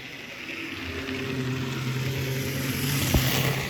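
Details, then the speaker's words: Triang Hornby Hymek class 35 diesel model locomotive, rebuilt after a previous repair left it badly reassembled: low, even hum with a light steady whir, no rattle or grinding; motor now running smoothly and quietly. "you can see here that the model is actually running rather nicely"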